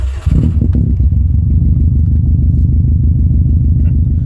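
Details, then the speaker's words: 2005 Subaru WRX at idle, steady even low idle with smooth regular beat, no knocks or misses; AFR sensor reads about 14.7 stoichiometric; healthy normal idle. "now idling right now things sound fine and indeed if we use the sensor to inspect the AFR we can see that it's running right around that magic 14.7 stoichiometric number"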